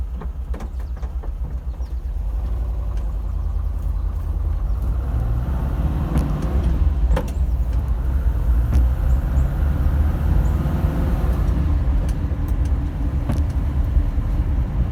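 Air-cooled engine idling with a loose, irregular low knocking under a steady rumble, typical of piston slap in the cylinders.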